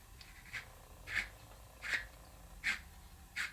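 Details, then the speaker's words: Clamp knob thread on a cheap generic dowelling jig grinds as it turns, dry rasping scrapes about eighty a minute, not a smooth or properly fitting thread, unlike the smooth-running original jig; grinding thread on clamp knob. "can you hear that it's almost grinding it's not a smooth thread"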